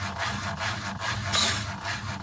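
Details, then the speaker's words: Panasonic NA-FS14G3 EcoNavi top-loader on spin; the drum wobbles, cuts out and restarts the cycle. A rhythmic scraping rub about twice a second comes from the spin clutch, which is jamming with excessive movement. Cause: faulty drain valve actuator, which is being replaced. "see that that it's like it's jamming a bit you can see their movement movement is too much at this point"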